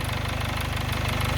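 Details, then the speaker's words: 2011 Chevy Malibu 2.4 L Ecotec idling after a cam phaser/cam position sensor fix and valve cover gasket replacement; fast steady metallic rattle from a loose timing chain, likely the hydraulic tensioner. "Just don't pay attention to that cam chain noise. Uh or the timing chain is definitely loose. And I'm I'm pretty sure that it's that hydraulic uh tensioner that's in there."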